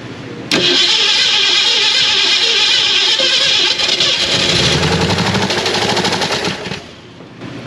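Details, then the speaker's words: Abandoned 1967 Ford Mustang Fastback, first start after recovery: rough, stumbling, lumpy fire that sags; pretty good misfire, with firing order suspected but not confirmed. "a pretty good misfire there, Rich. Yeah. [Music] Um, like I said, I'm concerned about the uh firing order."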